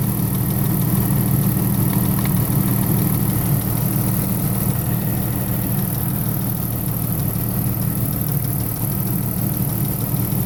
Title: Possible lifter noise. At idle. 98 Wrangler 4.0